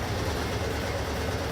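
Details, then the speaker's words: Servis Gem 600 washing machine with newly replaced door handle, in fast spin with the power kicking in and the door latch holding; slightly shaky. Steady low rumble with fast, even drum vibration, no banging or scraping; normal spin cycle. "Oh, here we go. Ah, there's the power kick in. Yes. There we go."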